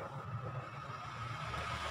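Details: Honda Vario 125 CVT making rough 'krek krek' noise when riding, appeared after air filter change; gritty rumble under steady drive hum rising with wheel speed, pointing to a worn CVT pulley bearing.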